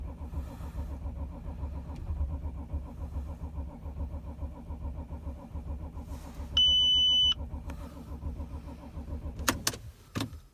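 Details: 2006 Audi A6 4F 2.7 TDI quattro diesel, cold: starter spins the engine steadily at about four compression beats a second but it never fires; crank, no start when cold.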